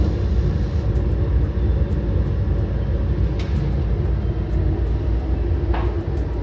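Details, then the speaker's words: 80,000 BTU garage heater after fan bracing and tightening to stop shaking and vent noise: steady even low rumble with no rattle, only a brief jerk at start; fan now runs quietly. "yeah sounds like it is working apart from that jerking noise in the beginning seems like it's working quietly nice a table fan"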